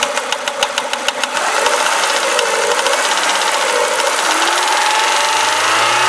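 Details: Renault Clio RS engine: fast, uneven ticking knock over the idle for about a second, then covered as revs climb; an unidentified knock from the engine.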